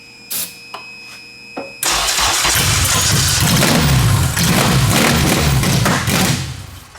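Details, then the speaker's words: Turbo Honda Civic build on ECU Master standalone ECU, started on starting fluid, engine believed 11:1 compression, mic near exhaust: faint clicks then engine catches abruptly into loud, raspy, even run; normal engine start. "yeah alright so as you guys seen it did just start on starting fluid and it sounds really nice it sounds like super mean"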